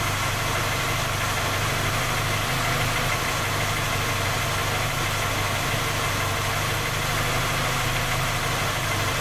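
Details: Skoda Octavia A5 facelift 1.6 MPI, engine knocking when cold despite three engine repairs that did not find the fault: cold idle with a rough, even drone and a faint knock following engine speed; source undetermined.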